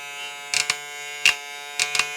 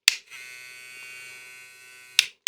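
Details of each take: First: Hair clipper (model 001) with new Zircón blade fitted, zero-gapped for testing: steady high-pitched electric buzz with a few brief louder bursts; motor and blade run evenly, sounds fine and compatible. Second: Hair trimmer fitted with a new Zircon blade: thin, high buzz shifts in tone when the lever moves. Owner suspects the blade is touching the bottom of the carriage.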